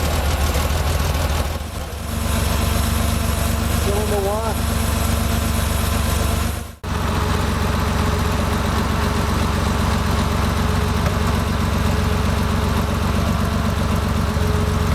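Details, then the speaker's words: Rebuilt Porsche 2.7 L CIS-injected engine after electrical repair of the auxiliary air slide: catches again after a brief, slightly rough stop and settles into an even low idle with steady pulsing, no surging; high idle resolved, tuning still pending. "now that we've got the engine up and running we can see that our high idle situation has been resolved with fixing the auxiliary air slide"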